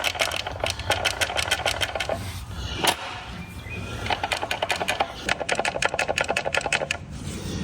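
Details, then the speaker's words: 2007 Honda Fit Sport (GD3), stock, transmission removed and its input shaft spun by hand: rapid, dry, gritty clicking rattle in bursts, likely the noise heard while driving. The worn input shaft bearing is the suspected cause, not the throwout bearing. "Question is it the throw-up bearing or the main? I mean, that doesn't sound good. I think that's what our problem really is"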